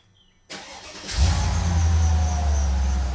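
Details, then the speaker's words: Mercedes SL55 AMG, M113K engine, first start after installing an upgraded intake manifold, checking for vacuum leaks: brief crank, clean catch, steady even idle with a faint belt squeak and no vacuum-leak hiss; normal start and idle. "don't mind that as just my belt squeaking but seems fine if I had a huge vacuum leak you would have hear it but not bad"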